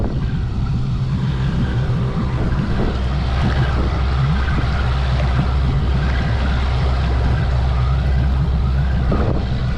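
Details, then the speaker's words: Boat outboard, long unused, in neutral being revved to roughly 3,000 rpm to break it in; steady deep drone over water and wind noise, no misses or knocks. Engine very quiet, taking throttle, running healthy. "So, I'm still in neutral. And that engine is super quiet right now. It's taking that throttle."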